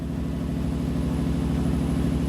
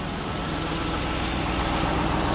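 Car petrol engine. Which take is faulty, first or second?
first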